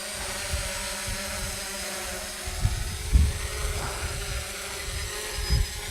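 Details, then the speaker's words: Quadcopter on a Naza Lite controller hovering in front of the camera: a steady even propeller hum with faint wind buffeting, no wavering or rough beats. Really stable and works great, smooth healthy hover. "really stable and again this is the nozzle light it's uh half the cost of the v2 but it works great"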